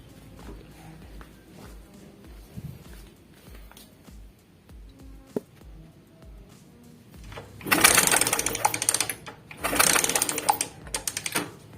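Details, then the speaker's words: Suzuki Smash motorcycle that had lost ignition, spark test with the key on: two bursts of rapid, crisp lighter-like ticking, about four a second, showing spark is present, so the bike should start. "Ya sudah keluar dan ada bunyinya seperti bunyi korek tek tek tek tek tek tek tek saya pastikan motor akan hidup kalau punya pengapian seperti ini ya"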